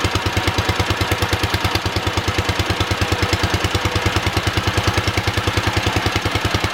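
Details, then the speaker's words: Wisconsin THD twin-cylinder engine at first startup after repair: loud, lopsided thumping idle around three beats a second with a hollow, uneven pulse, running on one cylinder because one cylinder's exhaust valve is stuck; later freed with oil. "It sounds like we're only running on one cylinder. I think it's the front one here. So we had a stuck exhaust valve on this cylinder."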